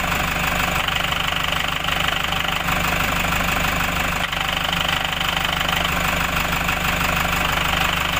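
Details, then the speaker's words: Toyota Hiace 3.0 1KD diesel with clutch components newly fitted a few days earlier: rhythmic clunking at idle, about three knocks per second, which disappears when the clutch pedal is pressed. Fake parts are suspected, not confirmed. "Ayun, napanood nyo mga kaboks, mga sir, yun po yung tunog niya. Kapag tinatapakan ang clutch pedal, nawawala yung tunog."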